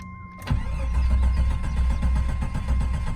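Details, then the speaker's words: 1988 Jeep Wagoneer XJ with automatic overdrive transmission, long sitting, fuel pump shot: brief crank catches and settles to a smooth, even idle on prime before stalling; engine sounds healthy, oil pressure about 20–40 psi, charging. "Oh Oh that's about all you get out of it but as you can hear the engine sounded healthy"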